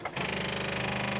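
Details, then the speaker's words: 1972 International Harvester 1110 pickup, off the road since 2013: fast buzzing chatter about twenty clicks a second, no cranking, though battery reads 12.5 V; starter clicking, possibly stuck starter. "okay hold up hold up it's starter's clicking Let's test the battery to see where the batter's at 12.5 that should be enough maybe the starter's stuck something was clicking huh the starter was clicking down there"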